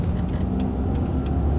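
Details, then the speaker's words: 2008 Hyundai Accent, automatic, while driving: steady loud air-conditioning roar over engine and road rumble; works but noisy, unclear whether normal. "Air conditioning's making a bit of a sound. I don't know if that's normal or what, but it's making it."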